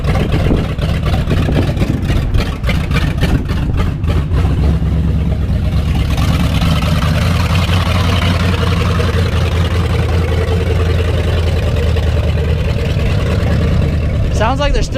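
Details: 1989 Ford 7.3 IDI diesel just started after purging air from the fuel system: deep clatter with uneven, lumpy firing early that settles somewhat; rough running, possibly from air still in the system.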